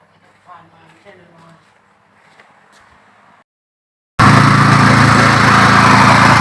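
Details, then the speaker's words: Yamaha water pump engine, parked over 20 years and previously not starting, no fuel in tank: quiet at first, then catches and holds a loud, steady, even rhythm with no misses; now runs fine. "อันนี้เครื่องติดแล้วนะครับเครื่องจอดไว้ประมาณ20กว่าปีติดแล้ว"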